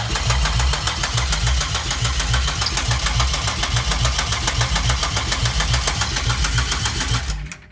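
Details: 2004 Pontiac Grand Am with 3800 supercharged V6 swap, first start after wiring the engine harness, starter jumped with a screwdriver since ignition switch won't crank: steady rhythmic cranking for about seven seconds, never fires; cranks but won't start, battery running low.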